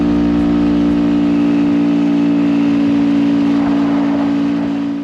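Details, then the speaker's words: 2022 Honda Grom 125 (5-speed) at idle after fitting an upgraded cam chain tensioner: steady even hum, the earlier slack-chain sound is gone; old tensioner showed nothing faulty, normal idle with no cam chain rattle. "And that slack chain sound that I presumed came from the cam chain tensioner seemed to dissipate."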